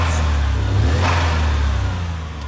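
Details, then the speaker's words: 63bhp turbo Suzuki Cappuccino after new plug-and-play ECU, exhaust, spark plugs, lambda sensor and air filter, bonnet open: crisp free-revving rise and fall, clean and steady with no misses or knocks, now sounding turbocharged; normal revving. "we've just popped the Bonnet to have a look and a listen and you keep sounding so much more purposeful now it's as if the E just had to think things through and get used to the car but now this cappuccino now actually sounds like it has a turbo"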